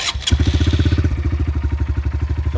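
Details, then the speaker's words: 2022 Honda CRF125F fuel-injected single with some miles on it, started and left to idle; starts instantly then crisp evenly spaced thumping about twelve beats a second, clean steady idle: normal idle. "I gave you guys some of it running. I'll start it up and let it idle."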